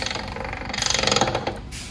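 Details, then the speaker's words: Semi truck transmission on a bench with the engine imagined: harsh, rapid metallic ratcheting grind as gear is forced in because an improperly adjusted clutch isn't disengaging, wearing the sliding clutches. "when you hear that ground sound you gotta Mash your clutch pedal down and it's not stopping the transmission so you start hearing noises like this"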